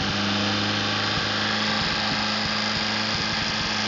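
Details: Atomic 4 inboard engine overhauled last summer (new pistons, rings, valve springs, plugs, wires, higher-flow water pump), run without choke on a test stand for a 17-foot homemade wooden boat, alternator off: steady low drone with regular light ticking, no misses or knocks; normal idle.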